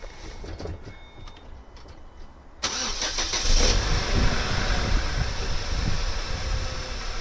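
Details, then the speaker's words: Vauxhall Vectra C 2.2 direct-injection petrol, after refitting the fuel pressure regulator: brief crank, catches and settles into smooth, quiet idle with even low rumble, no misses or leaks; idles happily. "Yeah, looks alright. That sounds pretty good. No leaks. Nice and quiet. There we go, so that's it running."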